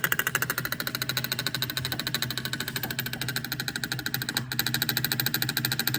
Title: Here's what a bad EGR valve sounds like (P0404)